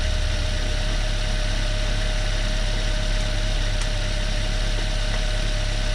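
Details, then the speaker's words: Chevrolet Beat/Spark fitted with Chinese B12D1 1.2L engine, after install, new thermostat replacing a defective one, normal idle while burping antifreeze; steady even idle with smooth low beat and light constant whine, no knocks or stumbles; healthy idle. "vamos a a encenderlo normal y vamos a pulgar el anticongelante"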